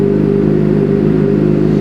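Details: 2006 Suzuki GSX-R750 after transmission replacement and motor reinstall, idling at 97 degrees with no FI codes (C00). Smooth, even four-cylinder idle hum, no knocking or clatter: normal idle.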